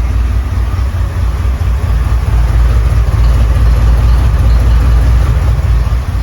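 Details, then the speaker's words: 1989 Chevrolet C1500 OBS with stock 'peanut' cam, after Edelbrock 1405 carb rebuild, idle screws out 1¾ turns: deep V8 idle with slight lope, idling on its own while cold, set too low; before the rebuild wouldn't idle below 1000 rpm. "Man, almost sounds like it has a cam. You know, the stock peanut cam actually has a 108-degree lobe separation angle."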